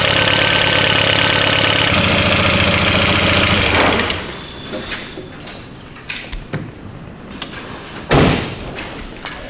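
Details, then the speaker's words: Barn-find Mk4 VW Golf GTI, first cold start after about 10 years off the road: loud idle with fast even top-end metallic clatter, then engine stops; owner fears no oil pressure. "sounds like it has like no oil pressure. It sounds like there's a skeleton, you know, rattling on the top of end."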